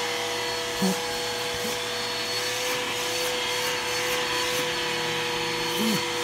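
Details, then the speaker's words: Bissell Powerforce Helix 1240 vacuum running with a steady mid-pitched whine over the airflow hiss. The cause is worn brush roll bearings, not the motor; the brush roll needs replacing. "you can hear the bearings are going out in it um not the motor the brush roll um the bearings are out in the brush roll so the brush roll need to be replaced soon"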